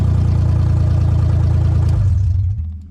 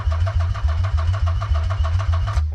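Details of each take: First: Nissan 300ZX Z32 convertible project, first fire-up: even, steady low idle on all cylinders with no misses or knocks, then switched off and winds down; no leaks seen. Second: Nissan 300ZX Z32 convertible attempting its first start after six months of work. Even cranking at about four pulses a second for over two seconds, never firing. Owner suspects the crank angle sensor is not seated, so the injectors don't fire.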